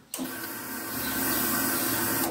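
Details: Ducati 749S that wouldn't start, suspected flooded: after refitting the spark plugs and reconnecting the fuel pump, a steady, even electric buzz of about two seconds that stops cleanly; normal fuel pump priming.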